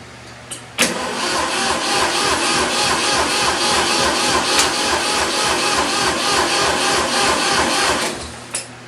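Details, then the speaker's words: 1972 Ford 2000 three-cylinder gas tractor with Pertronix electronic ignition, battery just off charger, fresh gas, choke on: sluggish, labored cranking about three and a half turns a second for seven seconds without firing; battery too weak. "Battery doesn't sound like it's up."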